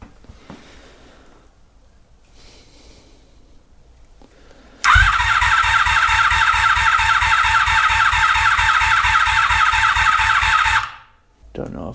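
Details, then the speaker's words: 1983 Honda Magna V45 motorcycle after an oil change, fuel system maintenance and a petcock repair. Steady whirring crank at about 3.5 beats/s for six seconds that never catches; the battery is nearly dead, so crank no-start from a weak battery. "we have power still says battery seems to be low but how about now says we're onong"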